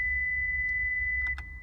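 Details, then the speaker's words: 2006 Honda Civic factory stereo built-in speaker test mode (hold 3 and 1, press power), right-side speaker playing a clean, steady high-pitched test tone without crackle or dropout; speaker working normally. "then you press the skip button and it goes to the right side and as you can hear that sides working"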